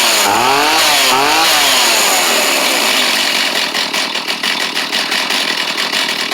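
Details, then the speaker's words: Stihl chainsaw obtained free after sitting an unknown time, which had struggled and possibly flooded: rough revving at first, then it settles into a steady high buzz with a slight pulse. It's firing and running normally. "rip oh [Music] [Music] awesome that's great see if it crank back up"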